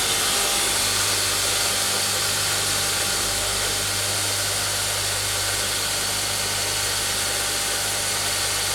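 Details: Homemade belt grinder running. Even, steady hiss and hum from the belt and motor with no knocks or rubbing; it runs smoothly.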